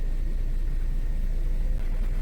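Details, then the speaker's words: 2008 Nissan Altima with a P0171 bank 1 lean code, after the idle was fixed and hoses are still to be replaced: deep, even idle rumble with no stumbles, dips or surges over about 5 minutes; normal idle. "Being that the idle's fixed, I sat in the car about 5 minutes and let the car idle. That's it's fine right now and haven't had any hiccups or issues. So, we're idling normal."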